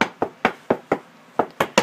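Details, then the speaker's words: Tapping floor tiles where grout is cracking: sharp hollow knocks, about four per second, sound loose and empty, showing insufficient mortar bed beneath the tiles rather than underlay problems. "if it was all solid it could be just your underlay but right now we know exactly what's going on we didn't have enough mortar underneath our tile"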